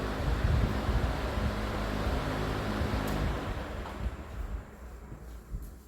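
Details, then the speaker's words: Vintage Emerson box fan after cleaning and servicing, with original wiring and capacitor, running on low speed: a soft, steady hum and whoosh, then a long, even spin-down with no rubbing or rattles; normal running. "really cool looking blades I like a perfect letter D shape nice long spin down time"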